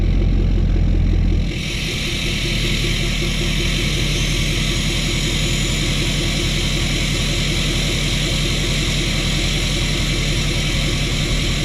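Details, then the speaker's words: Tuned and deleted Ford F-350 diesel, hiss tune on the variable-vane (VGT) turbo, recorded outside: steady diesel idle clatter with constant airy hiss from the turbo vanes; normal, runs fine. "All right, so as you guys can hear, it's got that little bit of a hiss to it. It has something to do with the vanes in the VGT turbo that's going on, but it sounds amazing,"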